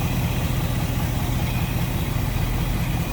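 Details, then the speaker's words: 1955 Ford Fairlane Crown Victoria V8 with Edelbrock carb: smooth, even low rumble with a steady firing beat, no knocks, misses or ticks; normal idle. "Edelbrock carb sounds good slip around to the back maybe here a little bit better now like I said no more crazy exhaust just a nice little deep throat exhaustion"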